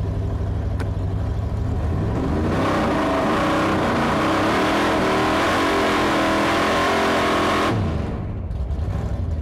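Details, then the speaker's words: Hemi V8 in a drag car revving roughly, note wavering and stumbling; sounds like a misfire, though the two-step being on was also questioned at this point. "sound good it don't sound good it sounds like it's misfiring"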